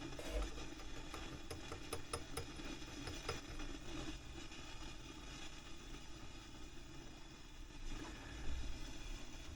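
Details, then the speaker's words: Fifty-year-old Selmer Treble & Bass 50 SV Reverb valve guitar amp under restoration, brought up on a variac: 280 V plate, 22.4 V bias. Constant crackling, frying fizz with sharp pops over a low hum; a noisy preamp valve is suspected. "280 volts now on the plate voltage 22.4 on the bias so that's all looking pretty good but apart from the frying wonder if that's a preamp tube I do hope not"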